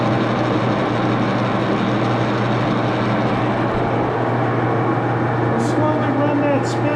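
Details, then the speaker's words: Axelson lathe after tightening rear Timken spindle bearing pair, run at very slow speed: steady, even hum from slow gearing with low drone and no knocks or rumble; headstock runs smoothly. "I'm going to start the lathe and run it and I'm going to start it on a very slow speed okay we'll be back"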